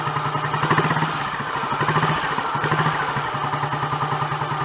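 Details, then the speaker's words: Royal Enfield Model G 350 single, after pushrod, timing pinion and thrust washer work: slow, even thump with a light, regular valve-train tick. Surprisingly quiet gear train to the magdyno; normal healthy idle. "That sounds so much better. Oh, we've got a resident. That sounds so much happier with life. I'm surprised it's that quiet actually, because the gear train up to the mag dynos can be quite noisy in themselves."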